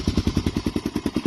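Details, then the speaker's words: 2004 Honda TRX 400 quad after its failing camshaft decompression mechanism was cancelled by fitting a camshaft without it: even single-cylinder thumping idle with the former tick-tick gone. Normal idle. "ya no está haciendo el ruido el tictic que hacía en el motor y eso era debido a como les dije el sistema de descompresión del motor estaba fallando"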